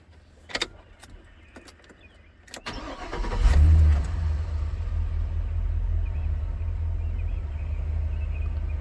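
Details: 2004 Chevrolet Silverado 2500 HD with rodent-chewed wiring, after the harness was moved from a shorted spare junction box back to the factory box: brief crank, quick catch, then a steady, slower, even idle with no misses; normal start.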